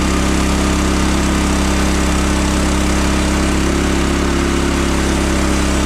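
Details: Frontier OS27 sawmill with a new 15HP Harbor Freight Predator engine replacing the 13HP Briggs & Stratton, on its first cut: a strong, even note held through the cut without stumbling or surging. It runs better than the old engine.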